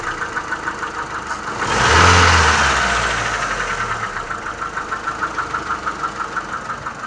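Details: Mitsubishi Lancer IX, oil below minimum: steady idle with regular tapping knock about three per second, persists after throttle blip; owner suspects connecting rod on crankshaft; after rebore, new pistons and rod bearings it remained, quieter.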